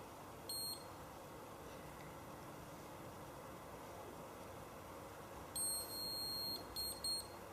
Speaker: final beep just indicates that my 2 minutes are now up and I'm ready to do the second part of the treatment